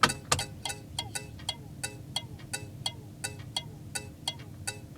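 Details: Thermal turn signal flasher relay (factory Tung-Sol 224 or a vintage HM 552) tested in an '81 vehicle with the key on and engine off: crisp, light, even ticks about three per second. Normal flasher clicking.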